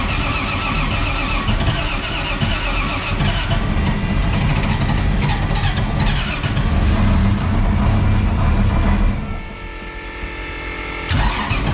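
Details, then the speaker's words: Camaro with a loud, lumpy V8 idles with a coarse metallic rattle on top from torque converter bolts that work loose after two or three events however tightly torqued; owner unsure whether harmonics cause it. "you can hear it rattling really bad right now because the uh after like two or three events the converter bolts will start to get loose no matter what"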